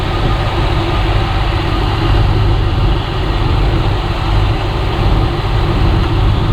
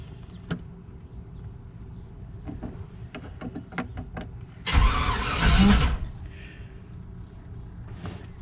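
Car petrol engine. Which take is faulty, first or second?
second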